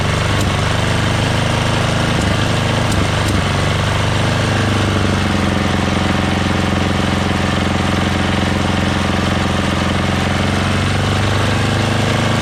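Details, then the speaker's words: MTD Yardworks 33-inch snowblower with a Tecumseh 13 hp engine running hard at high throttle with an uneven beat and occasional backfire pops; owner suspects sticking valves or a dirty carburetor. "so as you guys can hear it's kind of like not yeah a little backfiring right so uh the valves might be kind of stuck"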